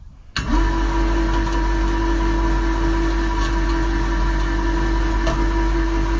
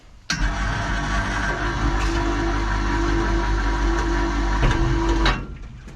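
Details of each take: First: Electric hoist motor lifting two loaded buckets: it kicks in with a steady low drone that never picks up speed, labouring and stalling under overload. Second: Electric hoist lifting one bucket while its voltage drop is measured. Motor starts and holds a steady, even hum for about five seconds without straining; normal single-bucket lift.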